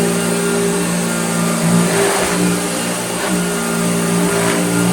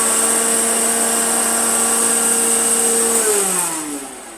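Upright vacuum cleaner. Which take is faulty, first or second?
second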